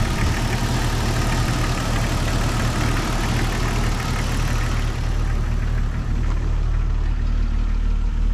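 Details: 1997 Jeep Cherokee XJ 4.0 inline-six idling after radiator and rebuilt NAPA power steering pump replacement, engine not yet warm: steady, even idle with smooth low rumble, no squeal or whine from the pump despite a slightly wobbling pulley.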